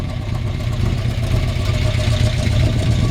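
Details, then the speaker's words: 1970 Chevrolet C-10 V8 with Holley carb, roller rockers and solid lifters, idling: deep, even burble with audible lifter clicking and moderate exhaust volume. Owner thinks it may need a tune-up or carb adjustment. Normal idle. "it does have roller rockers you can hear the clicking of solid lifters [Music] love the sound of this exhaust not too loud not too quiet"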